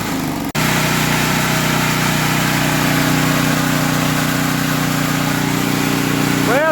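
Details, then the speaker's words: Generator after a surging problem, with idle speed turned down: a steady, even drone that holds its pitch with no rise and fall; idles smoothly without surging. "all right guys so I just turned the idle speed down and this is what I got I'm about to run a few minutes and then I'll check back with y'all"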